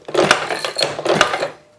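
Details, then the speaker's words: Maytag 72 Twin engine after kick starter repair: about a second and a half of dry mechanical clatter as the kick starter teeth on the shaft engage and turn the engine, with slight play; engaging normally. "But yeah, it's at least I can start it. You know, it's engaging."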